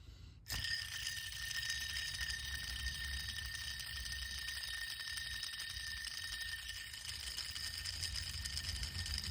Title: Bad Idler Pulley vs. Good Idler Pulley #automobile #diygarage #mechanic #mechaniclife #repairparts